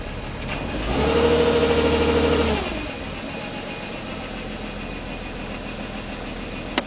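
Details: 2004 Nissan Maxima 3.5 with a flashing check engine light and code P0301, cylinder 1 misfire, running rough. It catches, flares briefly, then idles with a stumbling, shaking repeating beat that seems worse as it warms up. The cause is suspected, not confirmed.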